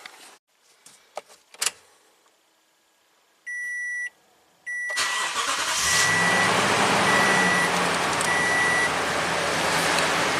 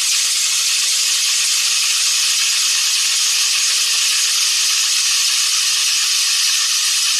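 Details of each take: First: 2015 Toyota Tundra V8 that squealed despite three belts and a new tensioner, started after the drive belt was rerouted correctly: chimes, then it cranks and settles into an even idle with no chirp or squeal. Fixed. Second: 2015 Toyota Tundra V8 cold morning start after a shop replaced water pump, belt three times and tensioner: loud steady high-pitched screech, severe belt slip lasting 10–15 seconds until the fan kicks in, then a lingering chirp; serpentine belt misrouted.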